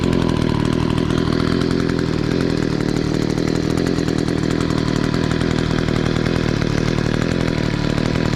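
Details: Echo SRM-266 two-stroke string trimmer after carburetor replacement (it had kept bogging down): steady, even high buzz with no surging or bogging, holding speed cleanly and running properly.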